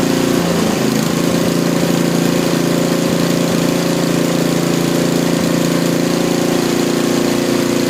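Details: Small lab engine after mechanical governor dynamic adjustment, idle set near 2000 rpm: fast steady buzzing drone at one pitch, no surging or hunting; top no-load speed rechecked with vibration tachometer just above 3400 rpm, normal.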